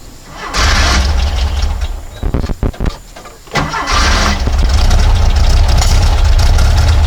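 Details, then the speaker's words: Porsche 912, Dellorto DRLA carburettors, after the update kit and a test drive: stumbling start, then lumpy uneven idle with a dead pulse, running on three cylinders; owner suspects a plugged idle jet, number three at first, later found to be cylinder four. "so after yesterday's test-drive we decided to run on three cylinders again when we got home looks like number three so I suspect there is a plugged idle jet in there"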